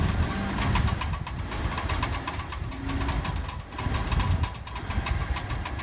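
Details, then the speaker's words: Worn CV joint, which can run dry of grease; free play is felt when the wheel is moved by hand. Rapid, sharp clicking over low rolling rumble as the car creeps forward with the steering at full lock. "Al momento de inducirle juego con la mano se observa que está dañada y cuando el auto va avanzando usualmente suena cuando giras totalmente el volante y el auto"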